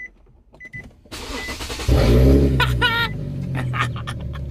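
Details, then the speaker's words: Infiniti G37 back running after fault traced to two bolts on a dress-up kit spoiling the ground, new higher-amp alternator fitted, starter not replaced: chimes, short crank, engine catches cleanly to a steady idle. "so yeah i can't believe it was a freaking screw wow well at least the car is running now bro i'm like smiling from cheek to cheek oh man let's hear it turned"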